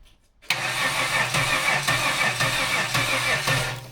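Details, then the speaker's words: L67 supercharged 3800 V6 swapped into a WH Caprice: even cranking at about three beats a second and it never fires. Fuel was squirted in without effect and a spark test shows spark, so low compression is suspected but not confirmed. "Stop. I don't think it's fuel, because if you're adding fuel and it's not running,"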